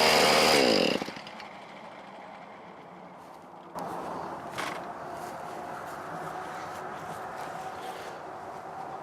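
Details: Neighbor's two-stroke weedeater that wouldn't fire up, after reassembly, choke on and power on: loud start burst, then settles into a light steady buzz on choke; started and running.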